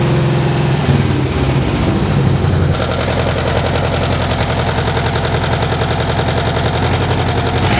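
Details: 1970s air-cooled VW flat-four on a custom trike, after adjusting the carburetor to stop flooding, battery low: deep, steady, loose chuffing beat that holds speed without stumbling; runs cleanly, no flooding.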